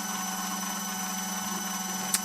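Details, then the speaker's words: OmegaPol Auto metallurgical grinder/polisher running recipe 5, dosing pump dispensing: steady low hum with constant whine above, no knocks or grinding; polisher and pump running normally. "As you can hear and see, the pump is running and it's dispensing the"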